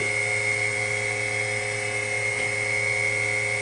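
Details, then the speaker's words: WWII RT-7/APN-1 radar altimeter switched on in lab: steady high-pitched dynamotor whine at one even pitch over faint low hum, no grinding or wavering, current settling as tubes warm up on low 400 ft range. Normal dynamotor whine. "let's switch it on see what we have you hear a wind from the Dynam motor there went the current settle down"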